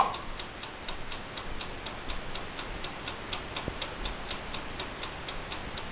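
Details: Brand-new Amaco polymer clay craft oven, recorded up close: crisp, even mechanical timer ticking about four per second over a quiet background; the timer is running normally.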